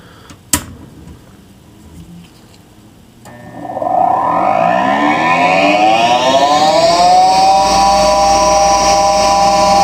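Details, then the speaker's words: Goodman furnace draft inducer (exhaust) motor switches on and spins up into a loud, multi-toned whine that settles at a steady pitch. It is noisy, though it looks fine on inspection. "I'm just checking out my uh draft induction motor here exhaust motor whatever you want to call it"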